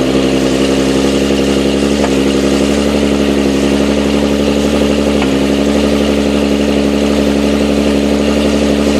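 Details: Nissan 370Z cold-start idle with single-piece lighter flywheel, after switching gearbox oil to thicker Redline MT-90: faint, fast light clatter under the engine note, rattle reduced; shifts hard about 5 minutes until warm.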